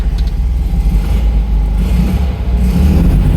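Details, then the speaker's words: Classic Fiat 500, after fitting a new pilot (spigot) bearing and refitting the clutch and thrust bearing: steady air-cooled idle with clutch in and gear selected; the earlier noise when engaging gear is gone, no whirr or grind. "no noise no noise at all I'd say that was fixed"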